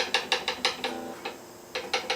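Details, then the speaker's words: Gretsch guitar with wound third string (to be changed to plain third): bright clicking buzz from a high fret at the neck-to-body junction; the high spot will be leveled, recrowned and polished to allow lower action. "So this high spot will be leveled, recrowned, and polished, and that'll allow us to sort of bring the action down."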